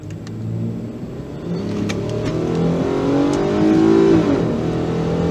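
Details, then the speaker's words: 2011 Ford Edge 3.5L V6 on test drive under load, check engine light flashing: revs climb with an uneven, stuttering pulse and roughness, severe hesitation and low power; misfire traced to an ignition problem, a bad spark plug on one cylinder. "real bad hesitation I feel it real bad here all right so we're going to take another look at these numbers the check engine light's currently flashing as we can see"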